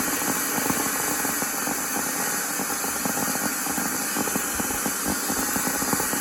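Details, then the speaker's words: Miele Classic C1 Junior Powerline vacuum cleaner found on a waste heap, running on minimum with old brushes and the pre-motor filter fitted. Harsh hissing roar with a crackly, uneven rasp from commutator arcing. Owner suspects a burnt winding, unconfirmed. "There's still arcing on that commutator, you can hear it."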